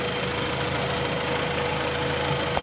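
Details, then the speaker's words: Honda Civic with G23 VTEC swap, warm after TPS recalibration fixed stalling and coolant leak apparently from a hose: steady idle with even cooling fan whir, no misses or rattles; previously dead fan now runs, owner suspects a sensor. Normal idle with radiator fan running. "Okay, I've fixed two things today. One is the idle problem that I have, the coolant. And, well, three things now. The fan turned on."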